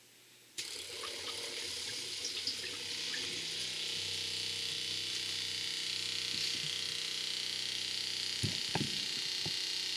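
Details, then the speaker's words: RV 12-volt water pump filling the hot water tank during winterizing: steady high-pitched buzzing hum with light knocks, getting louder as the holding tank empties; pump running normally. "The pump's already getting loud now, which means most everything's pumped out of the water holding tank and into the water heater."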